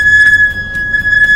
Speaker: this is even easier let's find an open space and step on the brakes hard a few times the abnormal sound will disappear